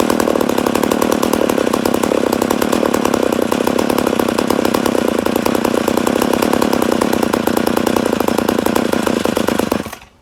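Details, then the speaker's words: Rebuilt McCulloch Super Pro 80 chainsaw, first start after rebuild: holds a high, even racing idle with rapid firing for ten seconds, then cuts out; owner suspects an air leak somewhere. "sounds like we got air leak definitely sounds like she got an air leak but she does sound good yeah I'd say we have an air leak somewhere"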